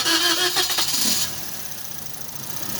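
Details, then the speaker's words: Toyota Vios that sat unused for 3 months and lost compression; oil added through the spark plug holes, then a brief crank, engine catches and settles into a steady idle, exhaust smoking from the oil until it warms up. "na lalagyan lang ng langis umandar na kasi haan lang natin umusok kasi umusok na yung tambutso kasi may langis yan eh"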